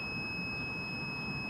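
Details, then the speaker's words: Digital multimeter continuity test on firing-tool wiring, ground lead to the red cable: clean, steady high-pitched beep showing solid continuity, with resistance read around 0.5, very low. "see so you can hear my you can hear my meter beeping"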